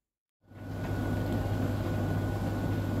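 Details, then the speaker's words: Tumble dryer (Bosch/Blomberg/AEG/Beko type) that tripped the RCD on warm cycle, after drying moisture off the thermostat, overheat switch cabling and blower left by wet washing: motor spins up to a smooth steady hum with drum and fan sound, no tripping, running normally. "all right guys there we are we're up and running as you can hear start to get slowly warm in a minute"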